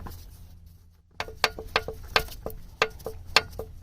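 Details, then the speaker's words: 1997 Honda Civic hatchback D16Y7 SOHC non-VTEC, engine off with the oil pan removed, one connecting rod rocked by hand: sharp, uneven metallic clacks about twice a second. Worn rod bearing after wide-open throttle on very low oil; metal shavings in the pan; bearings to be replaced. "So just this one right here. That's my knocking sound right there."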